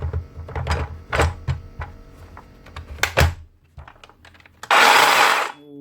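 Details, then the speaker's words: DeWalt DCS577 60V (54V-marked) circular saw with a collapsed top armature bearing: bench knocks, then a short, harsh, gritty geary roar winding down with a falling whine; replacing the bearing is the fix while the motor still runs. "nasty so that's a bearing not so bad"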